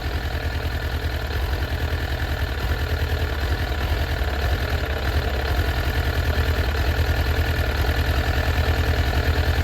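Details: Suzuki Katana GSX-F 600 running with a lumpy, loping, uneven beat about three times a second instead of a smooth four-cylinder hum; no spark at cylinder 4, so it is dead.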